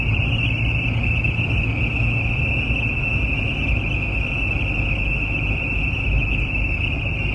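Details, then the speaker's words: Car cruising at highway speed: thin, steady high whistle over heavy road rumble, starting around 45–50 mph and worst at 60–80 mph; source unknown, suspected at the dashboard air vent or intake. "starts to sound up at about 45 50 mph and the worst sound is when it's uh about 60 to 80 mph don't know where this sound's coming from sounds like the uh air bent here intake"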